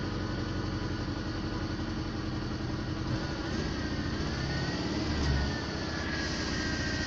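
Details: VAZ-2110, first start after repair: low, steady idle with an even beat, no knocks or misses, settling smoothly and running clean; normal idle.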